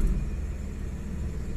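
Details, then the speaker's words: Suzuki DA64W minivan, non-turbo with 3-speed automatic, which has trouble starting: idle sags to about 700–800 rpm in reverse and drive, a low uneven rumble with heavy shaking; rough idle vibration, cause unconfirmed. "Ang baba ng RPM talaga. Ayan. So sobrang nanginginig yung makina."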